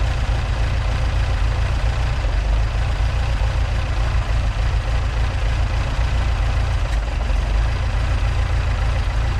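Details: Mk2 Ford Escort with Pinto engine, first start, twin carbs only mildly set up just to run: deep, uneven, lumpy idle with a rough hunting beat, because the carburettors still need setting up and balancing.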